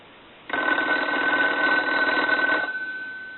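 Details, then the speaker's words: Wood wall decorative telephone rung from a line analyzer, which also does not dial out: about two seconds of buzzy clattering ringing instead of clean even strikes; bell needs checking, cause not yet found. "we're gonna have to check that bell out it does not sound proper to me"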